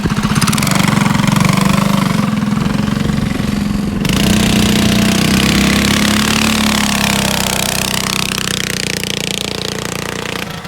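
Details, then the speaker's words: Yerf Dog go-kart with Predator 212 engine and Stage 1 kit, replacing the stock Tecumseh: loud, crisp single-cylinder bark at fast idle, firing evenly with a slappy dirt-bike-like exhaust note; normal running. "Oh sounds pretty good that sounds you slappy it sounds like a dirt bike"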